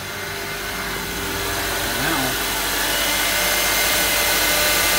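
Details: Honda Accord 2.4 with high-output alternator (2in pulley vs stock 2.5in), start after fitting shorter Gates K070714 serpentine belt: smooth idle, steady hum, no chirp, slap or squeal; much better.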